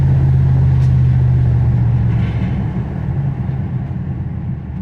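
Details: Classic V8 truck after opening the driver-side exhaust manifold flapper door and resetting base and total timing, on acceleration under load: deep steady rumble, no detonation ping; engine healthier, backed-up exhaust believed to have been reigniting exhaust gas.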